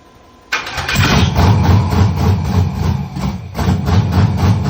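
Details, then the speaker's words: Monte Carlo with rebuilt LS engine, first fire-up, weak battery, exhaust flame, map sensors not yet hooked up: fires abruptly, then slow uneven lumpy chop about four beats a second before picking up, later dies. Rough idle; needs fine tuning. "Because when I first cranked it up, you heard how it was slow, like chopping, and then it started like it picked up a lot."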